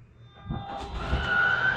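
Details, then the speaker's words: Grand Design Solitude S-Class 2930RL-R fifth wheel slide-out extending: the motor spools up to a steady, rising vacuum-cleaner-like whine with no clicks, before the expected end-of-travel hiccup from the two motors; normal. "hear that wine some people liking it to a vacuum cleaner it sounds like a vacuum cleaner"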